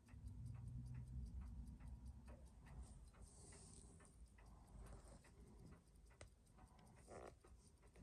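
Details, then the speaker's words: Seiko 4006 27-jewel JDM Bell-matic after restoration service (was barely running before), day two of running: quick, even ticking with no extra knocks between beats; great amplitude and steady output, running healthy. "it's just been running and you can see we've still got great amplitude and it is still this output is very steady which is exactly what you want"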